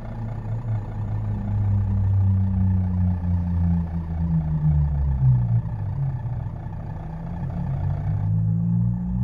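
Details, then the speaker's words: Fiat Uno at idle, heard inside the car: intermittent low droning buzz from the radiator, which sits on rubber mounts held by clamps and vibrates when a retaining clamp is loose; noise only at idle, depending on parking position. "E eu consegui gravar esse ruído de dentro do carro, olha aí."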